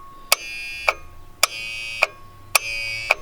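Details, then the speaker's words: 1993 Ford F-250 7.3L IDI diesel that won't start, glow plugs cycled by screwdriver jump: sharp relay clicks in pairs about half a second apart, repeating with a ringing edge; abnormal clicking, owner suspects bad glow plugs or relay. "see now it's not supposed to click like that there's bad glow plugs or relay"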